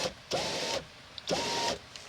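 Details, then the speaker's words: 2001 Chevy Silverado (GMT800) rear window after replacing the wrong regulator and fitting a new Dorman window motor: two smooth motor whirs under a second each, down then up, even pitch without grinding or binding; window operates normally. "Well, I think we have an operational window there, folks."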